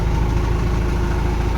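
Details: Toyota Mega Cruiser with 24-volt system that would not start: after the basic fix, the diesel starts and settles into a steady, even low rumble with no misses or knocks; normal idle.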